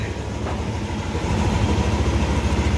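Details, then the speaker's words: Yamaha All New Aerox 155 VVA at about 30,000 km, after a rough-engine complaint traced to the connecting rod, which was replaced: single-cylinder idle thumping evenly with no knock or rattle. The engine now runs smooth. "sudah nyala sudah halus benar"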